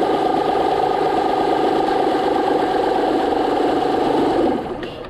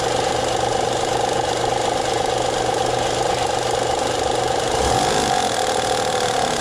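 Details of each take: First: 2009 Honda Pilot 3.5L V6 after replacing the failed hydraulic timing belt tensioner: a steady, even idle with a smooth hum and no ticking, knocking or rattle. The tensioner plunger no longer moves in and out. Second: 2009 Honda Pilot 3.5 L V6 idling before repair: a fast, somewhat uneven ticking, knocking chatter about three to four times a second. Caused by a failing hydraulic timing belt tensioner, which was then replaced.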